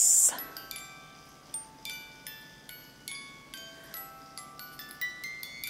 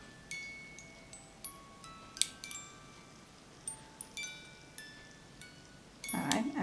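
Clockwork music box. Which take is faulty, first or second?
second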